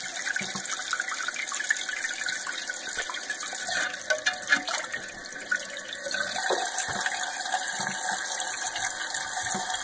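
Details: Steady hiss of water refilling a toilet tank after fill valve replacement, with small splashes and clinks; valve shuts off normally, water level about 1.5–2 inches off the old line and still needing height adjustment.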